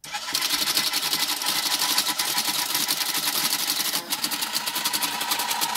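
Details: TIM8 relay computer driving a Fenix TK41 parallel-port tape printer to print "hello world": a dense, steady chatter of fast, even relay clicks with the printer stepping in rhythm; operation is normal.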